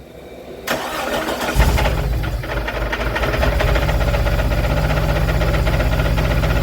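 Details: 1997 Jeep TJ 4.0L, 50k miles, freshly rebuilt with new pistons and rings: cranks to rough idle, like a dead cylinder, with loud knock about four a second that fades on slight revs; good oil pressure; middle-cylinder injectors unplugged without change.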